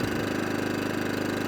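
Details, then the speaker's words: Atco Balmoral / Allett Kensington 14SK cylinder mower, Kawasaki FJ100D engine, after carburetor cleaning (previously ran only on choke), warmed up and off choke: even steady high drone at full throttle with regular firing. No hunting or surging. "Lovely. Onto idle. Lovely. Back to full throttle. Lovely. No hunting. No surging."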